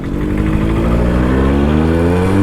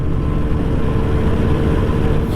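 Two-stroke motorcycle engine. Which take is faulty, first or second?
first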